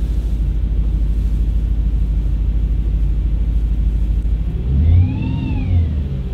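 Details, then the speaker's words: B7 Audi RS4 with exhaust flap delete, cold start after sitting: lumpy idle settles after second rpm drop, then a rising and falling whir cuts in briefly and stops as if electronically controlled; intermittent cold-start noise, undiagnosed. "see it goes right away there as if it's like something electronic that's controlling it which is kind of odd"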